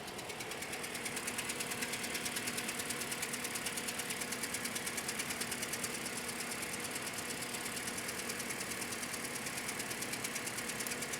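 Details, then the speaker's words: Toyota Scion, codes for cylinders 3 and 4 after new AutoZone coils were fitted: fast light ticking about three per second over a thin, uneven, chugging idle; misfire on cylinders 3 and 4. "ar and like do you see the car chugging and chugging and chugging like it's running pretty rough all right codes currents cylinder 3 cylinder 4 okay that's pretty common"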